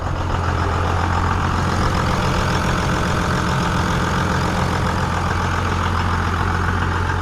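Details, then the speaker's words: Cummins diesel truck, first start after five engine upgrades, leaking overflow valve tightened: a steady, even diesel idle with a smooth low rumble and no misses, knocks or hunting; running normally. "but truck looks like it's running good guys"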